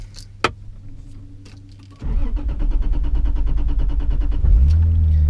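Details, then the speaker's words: Turbo 2JZ Lexus IS300, newly running after the reversed cam sensor polarity was fixed: the starter cranks steadily for noticeably longer than before until the engine catches and settles into a rough idle. Extended cranking before start. "notice the car cranks for a little bit longer before it starts now"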